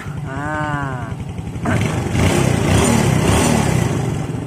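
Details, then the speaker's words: Yamaha Jupiter Z that would not start and ticked, after spark plug replacement and valve clearance adjustment (valves were too loose): engine revs cleanly and runs smoothly, no valve tick; normal running, carburetor next adjusted. "halus lagi halus lagi ya Lur untuk suaranya Oke berarti permasalahan hanya di bagian setelan klep Ya kurang kencang"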